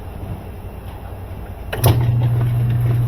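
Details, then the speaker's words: KitchenAid (Whirlpool-built) direct-drive washer after motor coupling replacement, test run with agitation selected: quiet, then motor kicks in with steady low hum and even back-and-forth churn; agitating normally. "It agitates."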